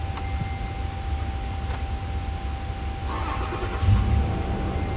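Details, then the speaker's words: 2010 Toyota FJ Cruiser after the ABS motor carbon brushes were replaced to fix codes C1251/C1256 (warning lights, constant beep, intermittent brakes) and the codes cleared: brief crank, clean catch, steady even idle, with no beep or lights. Normal engine start after repair. "गाड़ी start हो गई है। कोई आवाज नहीं आ रही। जिस तरह पहले आ रही थी अब कोई लाइट नहीं आ रही।"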